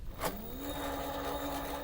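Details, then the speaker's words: Crosser CR1 electric scooter, over 2,000 km, new controller replacing a burnt one, connected by wire colours: knock, then rough hum and whine as the hub motor spins unevenly; phase and hall sensor wires mismatched. "но мы слышим, что работа некорректная у него, то есть он гудит, воит."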